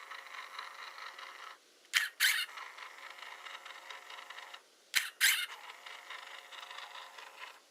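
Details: Hasselblad Winder CW: two short, bright squeaky bursts each time the winder cycles, about every three seconds, a dry squeal from the drive train.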